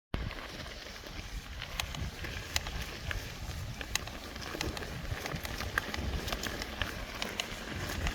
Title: Trek Fuel Ex-e cracking / creaking noise #1